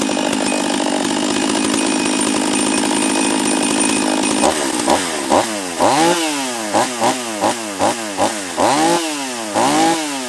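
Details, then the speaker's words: Husqvarna 44 chainsaw after a new carb kit (first suspected bottom end), base gasket removed to raise intake duration, after a cold start: high steady full-throttle scream, then crisp repeated revs rising and falling cleanly, running healthy. "So that's all it was the carb kit. Not a hugely powerful saw, and it may be that intake duration, but we actually increased the intake duration by lowering, taking out the base gasket on there too."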